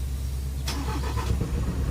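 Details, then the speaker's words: Mitsubishi Canter 4M50 diesel that had long cranking and hard starting even when warm, after the fix: starts on one click, with a short crank and then a steady low rumble. "yon kita natin na isang click lang talaga ng start ay umaandar na agad"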